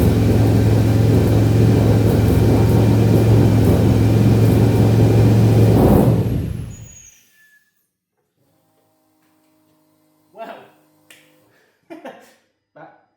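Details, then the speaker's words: Ford Capri with Mercedes M113 5L V8, first start on new MaxxECU, wasted spark, untuned fuel and ignition tables: fires and revs lumpy and uneven about six seconds, then shuts off; ignition timing suspected wrong. "could have gone worse, I guess. Didn't sound perfect."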